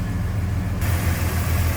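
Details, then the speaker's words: 1966 Chevrolet C10 inline six with header and dual exhaust, 56,940 miles believed original, heard with the hood up at idle: low, even rumble with a steady beat, no knocks or misses; smooth, tight runner. "Alright, look at this smooth runner. Nice and tight too."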